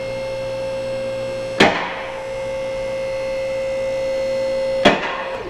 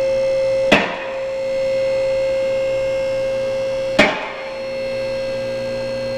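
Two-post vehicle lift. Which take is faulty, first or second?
first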